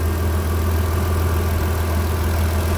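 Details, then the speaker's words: 2003 Mitsubishi Pajero NP 3.8L V6 automatic after fixing rough idle, hesitation and P0100 mass air flow circuit code: steady even low idle hum, no stumbles or misses, codes cleared, smooth normal idle. "any hesitations it's very smooth now so this is the end of the video"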